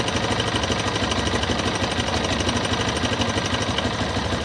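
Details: Yamaha XTZ Lander 250 single: idles with a fairly steady tapping knock around three a second over the exhaust beat; strange engine noise, source not identified.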